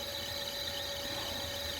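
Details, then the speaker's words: Carrier EcoBlue axial ECM fan motor (460 V) driven from a VFD, ramped 20–40 Hz with fast acceleration; steady high squeal over constant hum as it nearly loses sync and runs rough. ECM motor rough running near loss of sync. "I already saw it almost lost sync there right away. 30, 40. Oop. It's not too happy. I don't think it's gonna go any faster than that."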